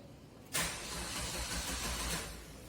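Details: Suzuki Ertiga engine started after the camshaft position sensor connector was reconnected and the fault codes were cleared with a scanner. A short crank, then it catches cleanly and settles into a steady, even run; a normal start.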